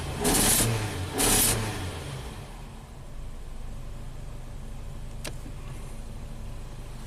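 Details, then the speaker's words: Nissan Sentra after shorted 5V reference repair, with unsealed air tube/missing hose: couple of sharp revs, then RPM dropped to low idle where it runs lean (about 25% fuel trim) and lopes and stumbles irregularly; vacuum leak later found. "we'll drop down the RPMs 1920 25 percent running lean started stumbling"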